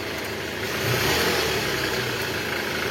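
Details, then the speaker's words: 2012 Toyota Alphard ANH20, 2AZ engine, about 74,000 km, after replacing broken balancer shaft, checked by stethoscope from side with revs: smooth, even hum with no harsh knock or rough vibration; engine now normal. "dari awal pun pas kita cek ke sini tuh udah enggak ada bunyi kasarnya Guys"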